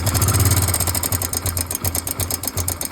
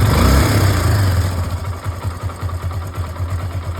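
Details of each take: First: Hero Glamour motorcycle engine at idle: rapid metallic ticking about three per second over the low idle thump, steady with the engine; cam chain tensioner failed, so the timing chain is not kept tight. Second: Hero Glamour single-cylinder after adjusting the failed timing chain tensioner: smooth, even idle with steady low thump and no ticking or rattle; earlier timing chain noise removed.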